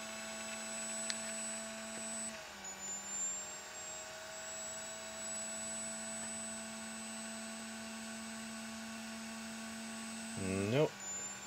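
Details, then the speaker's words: DLP rear projection TV color wheel after cleaning and lubricating its motor: steady whirring tone that drops, sags and sweeps back up as speed regulation hunts, caused by WD40 covering the light speed sensor; cleaning it made the wheel lock speed and run quieter. "seems it was just some uh the WD40 covering the sensor causing the problem that's much quieter now"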